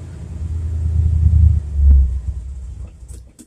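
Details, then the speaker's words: 1978 Chevrolet C10 stepside truck with 307/350 V8 from 1971 Nova, cold start after sitting in garage; low rumble surging and sagging unevenly, rough before warm-up, owner says okay once warmed up. "come on buddy once it gets walked up it's okay"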